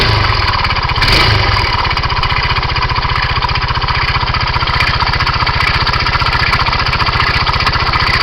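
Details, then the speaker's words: 2007 Kymco Agility 125 scooter, 16,000 km, just started: steady idle with a fast, uneven ticking coming from the engine; source of the noise not yet identified. "this is the 07 Kimco with 16,000 km on it start it up I don't know if you can hear it there's like a speling coming from in here"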